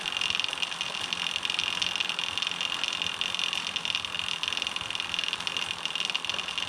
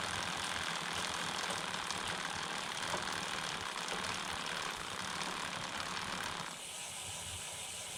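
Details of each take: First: Homemade SWB bike chain hand-spun through the idler with the HDPE chain keeper fitted: loud steady hiss and rattle, about 10 dB louder (about twice as loud) than without the keeper, which doesn't touch the chain. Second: Homemade short-wheelbase bike, 39-tooth front and 11-tooth rear, chain keeper off, camera one hand length away: smooth, fairly quiet chain whir with light even patter over idler; normal drivetrain, about 10 dB quieter than with keeper.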